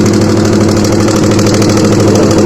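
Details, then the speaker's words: Honda CBR150 single idling with a rough-sounding engine; a light, steady clack from the middle of the engine is mixed into the beat, pointing to a worn camshaft bearing. "Dan masalahnya itu suara mesinnya kasar banget ya. Kita dengarkan dulu nih. Kunci kontak on. Dengarkan ya, ada suara klak"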